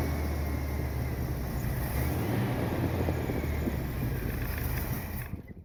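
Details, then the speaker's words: 1979 Corvette V8 after fitting glasspack mufflers, choke not hooked up, started after sitting a few days: low steady idle rumble, even beat, no misses, no lifter noise; exhaust leak on one side; normal idle. "Sounds better than before. Not very loud, but it's got a little rumble to it."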